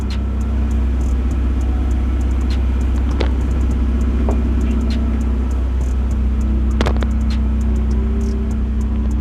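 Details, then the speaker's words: Chevy S10 truck started for the third time after sitting two years, new battery fitted: heavy, steady low rumble at constant idle from its loud modified exhaust, engine running fine; owner plans to make the exhaust quieter. "this is now the third time I have actually started this uh once after I got the battery in here so now this is the third time it has a modified exhaust on on it which case I am going to change it make it a little bit quieter"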